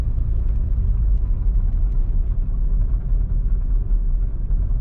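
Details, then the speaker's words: 2009 Nissan Versa 1.8L SL driving with a deep, uneven, stumbling run and violent shaking, check engine light flashing; codes P0340, P0304, P0300; cylinder 4 dead from a failed coil pack, which was then replaced. "I'm assuming obviously it threw the cylinder 4 misfire code, so I'm assuming now that that cylinder is completely not firing at all."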